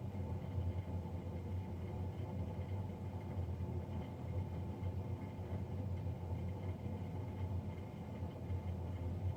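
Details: Navien NCB-240 boiler recorded three days after a Jan 31, 2020 service: steady low droning hum with faint constant tone throughout; loud combustion fan noise, cause unknown.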